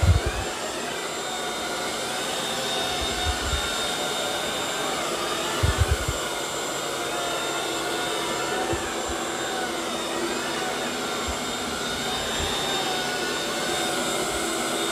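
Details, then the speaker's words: Eufy robot vacuum-mop on turbo suction: steady high rushing whoosh of the suction fan at full power, even pitch, light floor noise; running normally. "Here's what turbo sounds like."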